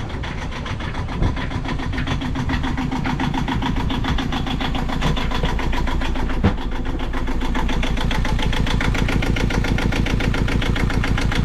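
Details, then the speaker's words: Yanmar 2GM20F sailboat diesel just after lift pump and mixing elbow replacement and fuel priming, in neutral: steady low chug idle with unevenly wavering firing; rough idle, cause not yet known. "oh these Idols a little rough"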